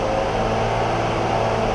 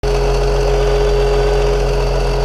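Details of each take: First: 2003 BMW X5 3.0 M54 held at 2000 rpm after a second DISA valve rebuild: a steady, even hum with no rattle across the RPM range. The rattle at 2000 rpm that showed before is gone; normal running. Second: 2003 BMW X5, 3.0 M54 engine, after a DISA valve rebuild whose parts failed prematurely: loud steady six-cylinder idle with busy mechanical chatter; DISA valve rattle.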